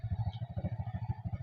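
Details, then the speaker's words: Chinese Tosa motorcycle for sale, just started by the seller: a steady, even low putter at about a dozen beats a second with no knocks or misses; the single idles smoothly and healthily. "Pelan-pelan saya coba hidupkan sendiri. Nah, ini. Oh, mesin masih enak."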